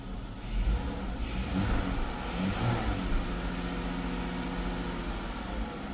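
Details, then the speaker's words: Chrysler 300 3.6 V6 after oil cooler housing and line replacement, codes cleared: engine picks up cleanly from idle and settles back smoothly, no misfire, knock or stumble; sounds okay, no code. "Sounds okay. I'm gonna have to go for a drive and then Check it out. But there's no code."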